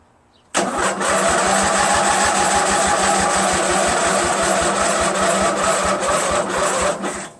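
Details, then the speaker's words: Craftsman LT1000 lawn tractor, freshly rebuilt Briggs 46 opposed twin, both cylinders showing good spark, on choke: slow, uneven starter chugging about two to three beats per second for seven seconds, never catching. Battery never strong enough; owner says a dirty carburetor is possible. "And the battery is never strong enough for it to really go, you know."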